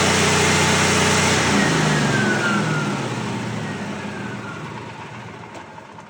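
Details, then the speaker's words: Miller Bobcat generator welder, V-twin engine, oil last changed around 2016 but clean: even, gently loping idle that winds down smoothly, no knocks, rattles or major leaks; sounds healthy. "Sounds okay. I don't hear any massive leaks. That V-twin has got that nice little lope to it."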